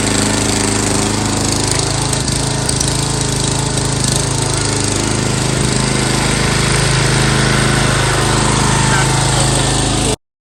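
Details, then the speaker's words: MTD Yard Bug riding mower after gear shift cable replacement for reverse issue, low on gas for test run: steady single-cylinder chug at constant speed, even firing, no misses, surges or knocks; running normally. "let's start this thing up it should start up on the money"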